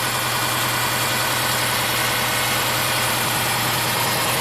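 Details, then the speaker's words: 2005 Subaru Forester 2.5L manual with a high idle, warm engine: with the EVAP purge hose off and the solenoid plugged back in, a loud hiss of air is sucked in and idle rises from about 1,200 to 1,300 rpm, a vacuum leak through the purge valve. "you can hear it's actually sucking in more air now. And the idle goes up to about 1,300."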